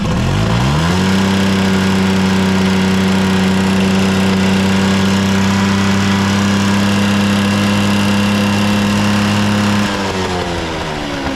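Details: Vintage Honda 12V Squash (AB11-1055) moped, running check: the engine catches, rises quickly and holds a steady, even idle hum for several seconds with no ticking or knocking; quiet, healthy engine with no abnormal noise.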